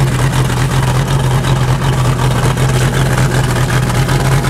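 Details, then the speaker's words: Uneven, lumpy idle of a 1988 Crestliner's Chevy 305 V8 with OMC King Cobra drive, first run in years; deep drone, rough from low compression on two cylinders. "all right though all things considered all right first of all that's really good news you can hear to the background idling"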